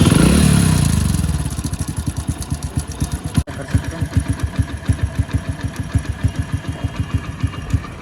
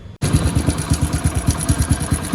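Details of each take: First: Hero Splendor motorcycle after fixing a noisy timing chain: brief rev dropping to a steady, even idle with no ticking or rattle; engine now silent, normal idle. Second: Hero Splendor motorcycle idling before repair: a rough, rapid tractor-like "khat-khat, kit-kit" metallic clatter over the engine thump from a faulty timing chain, later fixed.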